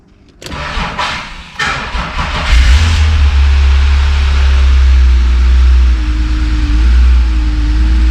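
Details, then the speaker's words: BMW E36 M3 with S52 engine, car sitting since last registered in 2018, battery on charger, in park: a few cranks, then it catches and settles into a smooth, even idle with faint steady hum, no knocks or misses. "wow holy thing started right up"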